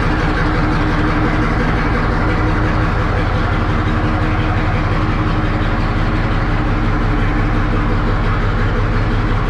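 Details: 1963 Diamond T 931-CN cabover semi diesel, first run after sitting one to two years: deep even rumble at steady idle, no knocks, misses or hunting; healthy idle.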